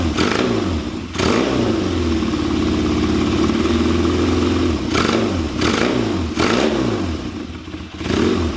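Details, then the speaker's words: Kawasaki KZ400 on bench, Mikuni VM30 carbs, after going from 2.0 to 2.5 slides, idle jet enlarged from 20 to 35, seemingly running rich: idle wanders, dipping and surging, won't settle; erratic idle, change made it worse. "so I think personally it made it worse um Idol was way sporadic I couldn't really make it smooth itself out that seems like it's gotten way worse"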